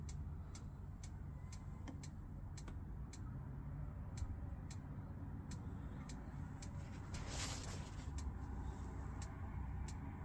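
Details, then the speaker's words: Pre-2012 caravan, fridge being lit on gas with the gas valve held in: sharp even igniter clicks about twice a second over a low hum, normal ignition ticking that should stop once the burner lights. "so once our little igniter at the side there stops ticking we know that that's lit up on the gas and then hopefully as we release our button it should stay lit"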